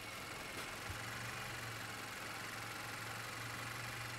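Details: 2017 Vauxhall/Opel Astra 1.4 Turbo GDi idling with a slightly uneven surging note that rises and falls; rough hunting idle, cuts out at junctions, codes P0172 fuel trim rich and P1101 intake airflow performance; air intake suspected, not confirmed.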